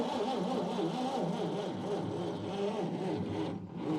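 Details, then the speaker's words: 1953 Chevy 3100 truck, 235 six-cylinder with 4-speed manual, sat for years on a farm: steady, even cranking that never catches; points adjusted front and back show no dwell at any position, no spark. Finding: cranks but won't start, faulty ignition points, to be replaced. "okay all right so we have determined these points are no good and for the six bucks you can get a new set on Rock Auto going to replace them"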